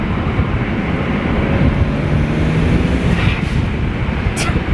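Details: BMW 335i with a new charge pipe and Tial blow-off valve replacing the diverter valves, driven at about 18 psi boost; engine pulls hard over road noise, then a sharp hissing whoosh on lift-off as the blow-off valve vents normally.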